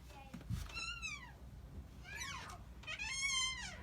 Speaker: our second item for our fix-it projects is going to be fixing a squeaky door hinge there's nothing more annoying than a squeaky door hinge so we've got a hinge up here that's squeaking